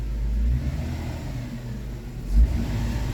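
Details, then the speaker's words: Kia Sportage 2.7 with earlier misfires on cylinders 1, 3 and 5 and surging, after repair; engine pulls up cleanly under throttle, steady low rumble, no stumble or initial hesitation as revs climb; smooth acceleration. "but when I accelerate now it doesn't have that blip of hesitation as if it's that initial enrichment isn't there it's definitely there now"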